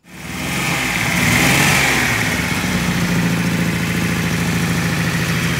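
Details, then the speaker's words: 1972 Datsun Cedric engine start; voltage 14-15 V shows alternator working, battery weak. Starts and revs briefly, then an unsteady, lumpy, uneven idle; rough running from fouled spark plugs. "Okay, engine start. Doesn't sound great yet, but it will be better."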